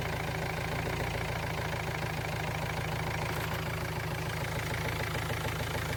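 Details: Ford Transit Mk7 diesel after glow plug replacement; it first wouldn't fire because the camshaft sensor plug wasn't fully pushed in, and this run is after reconnecting it. Steady, even idle clatter with no misses or odd knocks; runs healthy.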